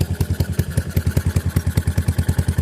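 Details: Yamaha SR400 single: sharp regular clack about ten times a second from the top end at idle; valve rocker arm has side-to-side play and rattles, oil reaching the head normally.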